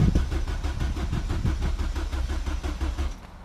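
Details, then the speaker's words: Ford Fiesta ST freshly built engine, first start: steady starter churn with even pulses near three per second, turning over without firing while priming oil with clutch and gas pressed before startup. "before turning the engine on you have to prime it so clutch n gas crank crank crank crank crank crank crank crank crank"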